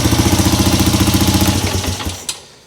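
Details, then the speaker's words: Polaris Sportsman 300 ATV single-cylinder after replacing carburetor with a new aftermarket one: even steady idle, then winds down; runs without choke held, new carb appears to be the fix, though a fuel hose was leaking badly. "But hey, at least it started and ran without the choke being held. So, I think that is the fix."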